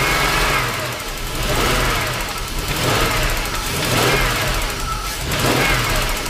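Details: 1998 Jaguar XJ8 Vanden Plas after throttle body cleaning and a PCV connector blow-out, started with the pedal held to the floor: catches and settles into a steady, even idle with no stumbles.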